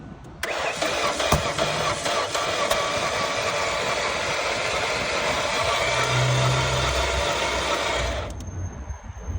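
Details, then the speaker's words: Engine cranking with a snapped timing belt, belt off the cam pulley: fast, light, even spinning with no compression pulses and no catch. "this is what it sounds like when your engine timing belt broken or snap okay crank it"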